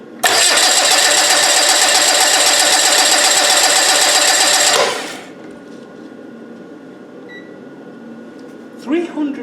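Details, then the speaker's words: TDI diesel engine cranking without starting while a clamp meter on the starter cable reads current: quick even cranking beat for about five seconds then stops; draw of 349 A, considered a lot; normal cranking. "$349 minimum. Yeah, so it was 349 amps to crank that over. That's kind of a lot."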